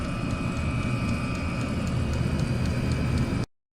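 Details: Chinese diesel air heater in a garage: steady fan roar and whine with faint regular ticking and clicking from the rear-mounted fuel dosing pump, before fitting an ultra-quiet replacement pump.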